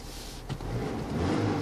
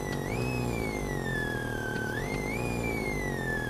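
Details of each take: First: Car cabin after re-grounding the head unit's audio lines: short engine rev with no rising whine from the speakers; speaker whine that rose with throttle is gone. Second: при нажатии педальки газа тональность меняется в такт нажатию педали это помехи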